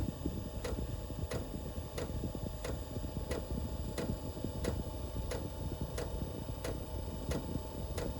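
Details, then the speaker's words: Normal startup of a diesel parking heater after glow-plug warm-up: its fuel dosing pump starts sharp, even ticking about one and a half per second over a low fan rumble. "But this thing has to go through a startup mode every time you turn it on, and it has to go through a shutdown mode. Alright, y'all hear the pump just started ticking?"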